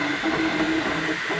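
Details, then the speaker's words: Flashforge Finder Lite 3D printer on its first print. Short stepper motor tones shift pitch with each move over a steady, fairly loud cooling-fan hiss. Normal printing. "Noise, yeah, it's kind of noisy as you can hear the fan. I mean, there's a fan, so blowing, keeping it cool."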